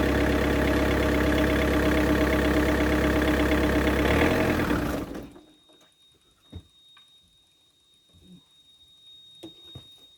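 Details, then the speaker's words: Yanmar VIO55-5B excavator diesel after an oil and fuel/air filter service: the starter turns it over about three beats a second for five seconds and it never catches, because the fuel had been shut off the day before. The engine self-bleeds. "I turned the fuel off yesterday. Yes, that would help."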